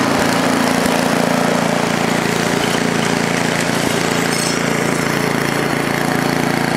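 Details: Ariens ST824 8hp snowblower single-cylinder engine runs at a steady mid throttle, with the throttle stuck mid-range and choke on, giving an even, unbroken drone; it started right up, though the machine is noted for bad bearings.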